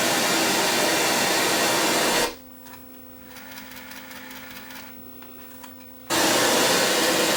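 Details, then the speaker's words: Sony EVS7000 VCR, control panel and bottom board separated: loud steady audio hiss drops to a faint hum for about four seconds, then returns; noise from a faulty filter capacitor. "watch this tada capacitor little 10 micro farad cap i'm just gonna stick it on the bottom of the board because i don't feel like pulling the other one out i'm gonna bridge it and uh see how it sounds"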